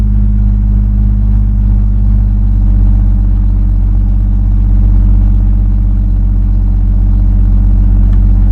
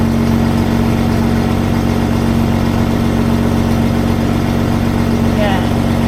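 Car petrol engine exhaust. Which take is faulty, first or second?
first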